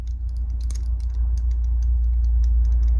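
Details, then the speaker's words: Kizer PPY EDC folding knife, Micarta handle: quick light ticks, about three or four a second, as the blade swings, not from the stop pin. A high spot in the pivot bearings clicks; function unaffected, also felt when closing. "the bearings have a a weird clickiness to them almost like there's a high spot can you hear it right there"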